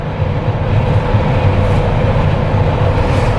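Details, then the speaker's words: Jeep Wrangler with a light bar, after a no-cost fix for light bar whistling, driving at 80–100 km/h: a steady low wind and road rumble from the boxy body with no high whistle on top; the light bar is now quiet. "You can hear the wind outside, possibly like hitting the Jeep itself, because there's no aerodynamics clearly, but absolutely no whistling."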